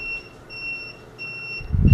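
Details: Ecoryder Dragon ER 500 electric scooter after finished repair and rewiring, display reading 63 volts, turn signals tested: high-pitched beeps pulse evenly about twice a second; turn signal beeper working normally.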